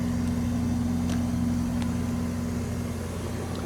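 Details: Relatively new 2023 Amana 4-ton air conditioner after installing a hard start kit rated for 4–5 ton units; steady, even hum with constant mid-pitched tone, no knocks or stutter; compressor running smoothly and healthily.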